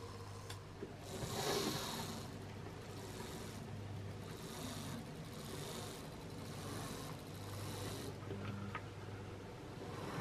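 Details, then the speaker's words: Wrenn West Country class model loco Lyme Regis (21C109), not run since the 80s: small motor whirring with a rough scraping rasp about every second, as a twisted, bent drop link binds the valve gear. "After a great deal of time, I discovered that the radius, the drop link had been twisted and bent in, and that was causing the problem."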